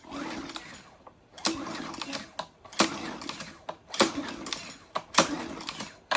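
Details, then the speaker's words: Briggs-powered Troy-Bilt pressure washer, about five years old, not starting after sitting with bad fuel; hand recoil pull-start cranking about once a second with rope whir, not firing, during a spark test showing good spark and compression. "so we have plenty of spark so we got plenty of compression and we have plenty of spark"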